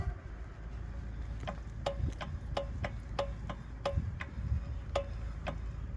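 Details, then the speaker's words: Mazda 3 BK: sharp, irregular metallic knocks about twice a second over road rumble from one wheel at any speed (20–120). A dislodged brake pad retaining spring lets the pad shift back and forth; a cheap new spring fixed it. "Вот эта пружинка, когда сбивает, она перестаёт держать вот этот вот вот эти вот тормоза, ководку, и она при езде начинает бегать туда вперёдназад, вперёд, назад, вперёд назад. И по итогу стучит."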